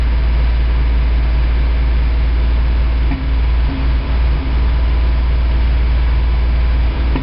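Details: 1987 Toyota 4Runner, high-mileage reman engine, cold start first thing in the morning, clutch in, then some throttle: heavy, lumpy idle with irregular stumbles about every second, still misfiring after 3 minutes. Cause: cheap head gasket leaked coolant, cracking the aftermarket head and fouling plugs.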